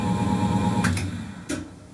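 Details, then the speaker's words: 20-year-old lathe single-phase motor at switch-off: steady hum fades, then a couple of dull clunks as it slows, the centrifugal start switch disengaging normally; its contacts spark and erode over time. "is the centrifugal switch disengaging um so anyway that's that's all now fixed for well temporarily fixed"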